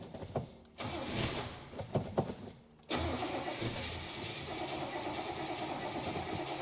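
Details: 1966 Buick Special small V8, sat for years in a backyard, first start attempt with a little gas poured in: short cranking bursts, then it catches and runs rough and uneven, stumbling as though starved of fuel; cause suspected, not confirmed.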